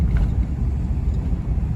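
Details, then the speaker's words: 2006 Ram 1500 Mega Cab V8 driving after fixing the fault that caused misfire, shaking and stalling: deep even rumble, no stumbles or misfire; check engine lights went away, now running normally. "it is driving like it once did yeah before like right now you'd already be it'd be missing shaking"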